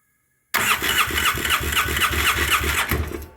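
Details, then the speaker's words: 2009 Polaris Sportsman 800, sat for months, after restoring fuel pump connection: rhythmic cranking about four beats a second with uneven half-catching pops, stumbling and barely starting; old gas likely gumming the injectors. "so anyway i turned the key in it and it stumbled a little bit tried to start and then kind of kicked on a little bit"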